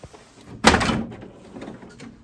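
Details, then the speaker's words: HP DesignJet 230 printer drawer being opened: one loud sharp clunk with a short scraping tail, then quiet. It sounds like breaking but is normal for these sturdy printers. "Doesn't that sound awful? Every time you open the drawer on these printers, it sounds like you're breaking something. But you're really not."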